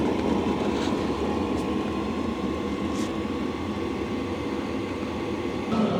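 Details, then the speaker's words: Hcalory TB2S Plus tent heater just kicked on after its clicking start, with fuel smell from the exhaust: an even blower roar with a faint steady tone and no popping or surging. It is burning and running normally. "It is a lot quieter than I would have expected. So it just kicked on. You can really hear it putting out the heat now."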